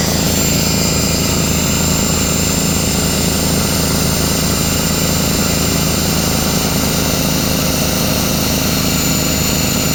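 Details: Craftsman 33-gallon air compressor, after repairs (piston, seal, belt, pressure switch leak): steady even motor drone with a constant pumping hum and no knocks or hiss; filling normally.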